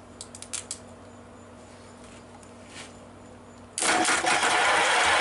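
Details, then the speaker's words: American LaFrance fire truck's Lycoming/Auburn V-12, first start in years on separately fed carburetors: slow cranking with scattered pops, then a rough, uneven run; suspected out of ignition timing, not confirmed. "i would definitely say that it's out of time hmm that's not good"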